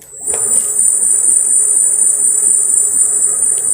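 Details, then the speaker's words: Xiaomi M365 scooter hub motor, after it was opened to fix vibration and cut-outs (a loose wire or bearing suspected): the lifted wheel spins with a steady, even high whine and no pulsing or cut-outs. It seems fixed, but has not yet been road-tested. "Parece que ficou bom viu"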